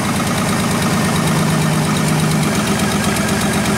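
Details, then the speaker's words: GM Trailblazer after stall, no-crank no-start fault, PCM reconnected, scope and amp clamp on ignition; uneven idle with irregular stumbles about four a second, misfiring badly; an ignition coil is missing/dead. "firing pretty bad let's drop the time-base a little bit there you go we're definitely missing a an ignition coil"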